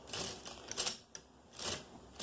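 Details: Brother 260 punch card knitting machine card reader after cleaning and lubrication: light, even clicking in short bursts as the carriage moves, quieter than the loud original sound; runs smooth and healthy.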